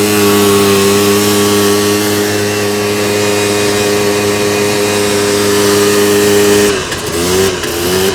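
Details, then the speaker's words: 2001 Polaris Xplorer 250 4x4 two-stroke quad in high range, straight gas with working oil injection, after earlier bogging: pulls clean and strong at full throttle with high steady buzz, no bogging or misfire, brief lift-off. "she opening up way better she actually had full power there"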